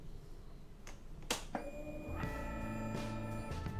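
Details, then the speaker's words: Used automatic scooter checked before buying, key switched on: a couple of clicks, then a steady low buzzing hum for about two seconds; fuel pump priming normally. "Nah, itu kan ada bunyi tuh. Nah, itu berarti full pump-nya masih normal."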